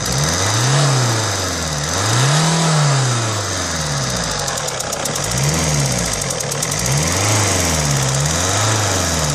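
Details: 2004 Alfa Romeo 156 1.9 JTD MultiJet 16v diesel idling with a fast, sharp ticking chuff from the exhaust side: leaking injector seal on cylinder No.2.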